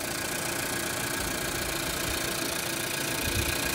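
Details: Healthy Renault/Dacia 1.2 TCe engine at idle: smooth even hum, quiet timing drive with no tapping, rattle or chain slap; a slight knock on throttle blips is probably linked to throttle opening, not the alternator clutch; clean oil.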